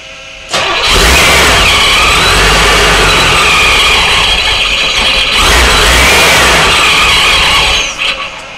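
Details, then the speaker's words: Supercharged Corvette at its first start-up attempt, with the idle air control valve unplugged: the starter cranks, the V8 catches and roars briefly, then revs sag and it stalls after about seven seconds. "Houston we have a problem that didn't go off very good at this point I'm thinking n it's an easy fix"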